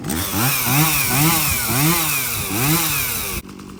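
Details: Stihl MS170 chainsaw that doesn't run well, fuel checked clean with no water and bar oil full: revs rise and fall in uneven surges about three times a second, never steady. Surging, uneven running, cause not yet confirmed.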